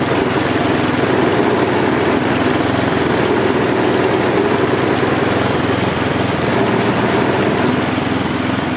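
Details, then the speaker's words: Husqvarna J55S mower with B&S 650 engine, old and worn, throttle tied open with string: it rises and sags in an uneven cycle, shaking the handles and puffing black smoke. Engine surging. "tak jak widzicie kosiarka pracuje bardzo niestabilnie bardzo nią szarpie było widać to też na rączkach pracuje w takim swoim dziwnym cyklu obroty są jakie są"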